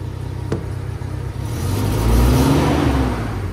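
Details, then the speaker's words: Toyota Innova at idle: rpm stays high and won't drop, engine idles lumpy with uneven stumbling "brebet" beat, then bogs when revved; misfire, main suspect faulty mass airflow sensor. "Oke ini kita hidupkan mobilnya jadi kalau kita hidupkan mobilnya itu seperti ini RPM ya ituu satu juga enggak mau turun ya itu satu terus suaranya itu beret beret beret beret beret beret gitu ya"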